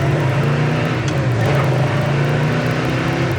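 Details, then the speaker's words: 1967 Chevrolet Chevelle SS, replacement 396 4-barrel V8, 4-speed, dual exhaust, on road drive under light throttle: deep even rumble, no knocks or ticks; healthy original-sounding drivetrain. "And it sounds like an absolute original >> drivetrain, doesn't it?"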